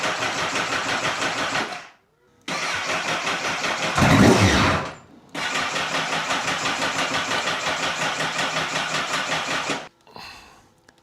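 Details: 2009 Honda Fireblade CBR1000RR being revived after sitting: starter churns in steady bursts, roughly three and a half compression beats a second, pauses and retries, but the engine never fires.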